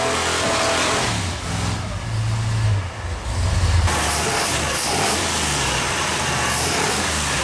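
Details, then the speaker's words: Mopar 451 stroker big block (400 B block, cast iron heads) in a Charger: pulls up strongly, then revs flatten at the same point as if hitting a wall; won't rev past about 4400 rpm, cause unconfirmed. "You can hear and visually see where the motor no longer wanted to rev. It was getting to a point where it was just hitting, we would call it like a wall. It just did not want to rev any further."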